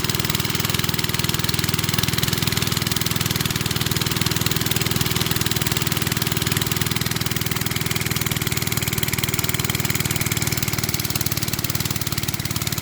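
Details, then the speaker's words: Briggs and Stratton-powered rotavator, thought to be from the 1970s, stood about 4 years unused, started from cold with a bit more throttle: small single-cylinder engine running fast, even and steady with a rapid regular beat, no misses or knocks; normal running. "So let's fire it up from cold and see if it can you know, do what it's meant to. Okay, go on. Bit more throttle. Oh yeah."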